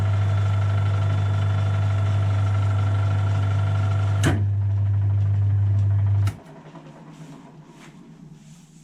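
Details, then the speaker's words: Mini lathe gearbox after replacing a worn brass bush and drilling an oil hole against oil starvation: smooth steady low hum with no clatter for about six seconds, then switch-off; the earlier chattering is cured. "Loads better that."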